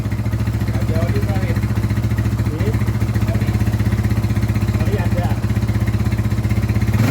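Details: Scorpio motorcycle single after timing chain replacement with a genuine part, kicked over to circulate oil, then first start: ticks over evenly at a low steady thump with no top-end rattle. Clean, healthy idle; the valves weren't damaged.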